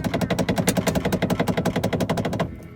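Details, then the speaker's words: Mercedes-Benz A-Class W168 (A160/A190) door: fast, even rattle about eight knocks a second that stops abruptly, occurring only with the window half open, not fully open or closed; door rattle, loose panel or glass suspected. "Esse barulho para com o vidro totalmente aberto ou com o vidro totalmente fechado. Meio aberto, ó."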